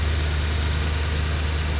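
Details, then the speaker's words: 2011 Mercedes ML63 AMG salvage-auction car after a rough first start: now a deep, smooth, steady idle with no rattle or tapping; owner suspects oil was briefly not reaching the lifters at crank. Normal idle. "yeah now it's running just fine so we we don't we're not sure what's going on here definitely just some oil not getting to where it needs to be at the start of this crank cycle"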